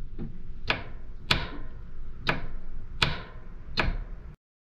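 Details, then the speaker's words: Caterpillar 301.8C excavator with key on, the solenoid valve re-secured during a leaking solenoid valve repair. Five crisp, evenly spaced clicks about every 0.6 seconds over a quiet background. The hydraulic solenoid actuator is switching cleanly. "so key on this has to be down this is the switch here so that's the switch sound this is the actuator"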